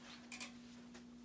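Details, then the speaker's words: Simplex SmartSync-only non-addressable 2-wire horn/strobes run from a non-Simplex panel through a Simplex 4905-9938 sync module and DC-DC regulator. The panel puts out full-wave rectified current. Crisp double clicks land together about once a second: strobes flashing in sync, normal. "yeah they are in sync so I am currently sinking fire alarm devices simplex devices"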